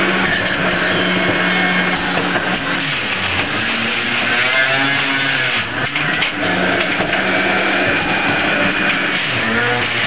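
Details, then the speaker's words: Breville iKon centrifugal juicer at speed 3 juicing apples: high steady motor whir with crunching pulp bursts, never bogging down; normal juicer operation under load. "You can hear it spin up at this point in time. I'm increasing to 2. I've increased it to 3. Now we're in apple range here."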